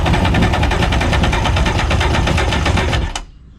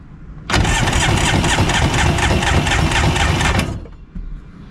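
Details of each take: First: 1994 Polaris SLT 750 jet ski with bad pistons, cranked with a compression gauge in cylinder 1 reading 60–70 psi: fast, even starter chatter with weak pulses and no firing; low compression. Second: 1994 Polaris SLT 750 jetski, cylinder 2 compression test: brisk, even starter cranking about three beats per second, gauge reads about 120 psi (cylinder 1 read 60-70); compression on this cylinder normal.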